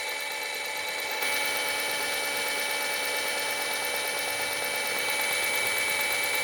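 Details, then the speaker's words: Suzuki Multicab alternator, spun after replacing its cracked noisy bearing and greasing the outer bearing, reassembled with even, not over-tight clamping. Smooth, steady high whir with no grinding or rumble; the bearing now runs quiet. "So okay yung ginawa natin nawala yung ingay niya"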